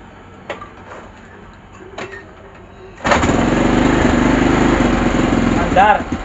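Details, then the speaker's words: KYMCO Super 8 scooter that would not start despite having spark, right after replacing the CDI: quiet, then it catches and holds a steady, even idle; starts normally now. "Andar na. Tatlong kick bago umandar."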